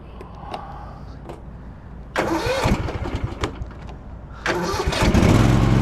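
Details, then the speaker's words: Husqvarna Z254F zero-turn mower, about 3 years old, after fitting a new 154-inch deck belt: starter cranks briefly, engine catches cleanly and runs evenly with blades engaged, belt running fine, normal start-up. "All right, here we go. You can see the belt. It seems to be running just fine."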